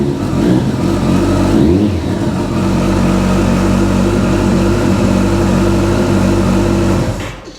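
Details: Kawasaki ZZR1400, 26,399 miles: smooth even engine note rises and holds steady, no knocks or rattles, then shut off; normal running.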